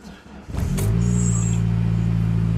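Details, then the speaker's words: Saab 9-3 start-up and idle after the sump was cleaned, the oil pickup modified, the rear breather pipe repaired and new oil and filter fitted; the engine catches and idles smooth and even, the oil light goes out and the earlier whine is gone. "okay that goes out so we've got oil pressure the whining noise is gone because the Sunfish now clean and the pickup is now modified so it's drawing oil up into the oil pump with ease it's not struggling to do it anymore"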